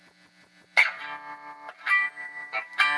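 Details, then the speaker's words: Tube bass amp under bias adjustment: held notes throb in volume about six times a second although the amp has no tremolo, so some unwanted oscillation is modulating the output. "oh oh now we got trolo"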